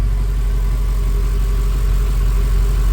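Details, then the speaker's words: Ford BA Fairmont V8 after a timing chain replacement: deep, even idle with the previous top-end ticking now gone, though a pulley is suspected of another noise; normal idle. "Remember before when it was idling, it was still ticking. It's not ticking now."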